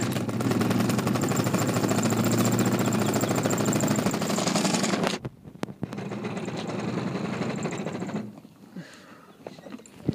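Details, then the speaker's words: Luyuan e-bike with brand-new Daymak 500 W 48 V hub motor gives harsh rapid buzzing stutter, about three or four pulses a second, under throttle then cuts out, won't move when ridden; wire, controller or throttle suspected. "does it when you accelerate woke up a hill wait oh and drop back hey I don't know what's wrong with it"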